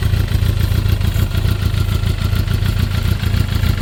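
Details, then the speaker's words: GSXR with a 600-to-750 engine swap, just got running: loud, lumpy idle at about three and a half uneven pulses a second; rough running, cause not clear. "I'm gonna go ahead and see if I can get it to run a little smoother tomorrow."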